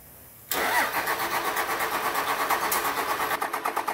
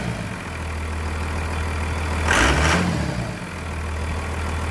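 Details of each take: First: 1999 Cummins diesel on a frigid winter day, just fitted with a new Thoroughbred Diesel injection pump and new fuel filter; starter cranks at an even beat of about three pulses a second but never catches, with injector lines to be cracked to bleed any air. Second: 1999 Cummins diesel after a new Thoroughbred Diesel injection pump, injector lines bled, on a frigid winter day; steady, even idle clatter with one brief blip and no misses or knocks, idling normally.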